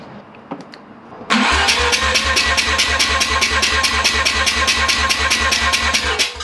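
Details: Mazda 12A rotary engine on a stand, compression test cranking: front rotor 98/95/95 at 280 rpm, rear 92/93/89 at 284 rpm, even steady beat about five pulses a second, none weak; healthy compression cranking.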